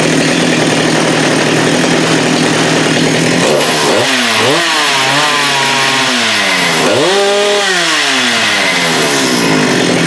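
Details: Husqvarna 394 with HyWay 58 mm big-bore pop-up cylinder, cold day, aftermarket carb fitted: high, steady full-throttle scream with clean rises and falls, reaching about 12,100 rpm no-load, up from about 10,900; normal full-throttle running.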